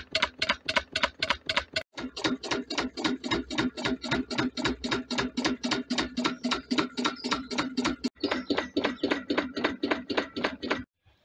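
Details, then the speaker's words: DIY Stirling engine generator Mk4 fired by a wood rocket stove, running very slowly as the fire dies out: slow beat with a sharp, heavy clonk each turn, about 220 per minute, from a bolt left loose. "one point I like to make is there's a loud clonking noise coming from um from this side I'm coming to find out I left the bolt loose so that's what that noise was"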